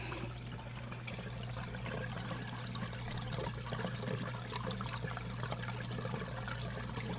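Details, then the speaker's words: Dishwasher that wouldn't drain, after clearing a clog from the top of the air gap drain pipe: steady low pump hum with water rushing through the drain line; draining normally. "I can see some water flowing there and I can hear it and frog is happy I think I fixed that a hundred percent"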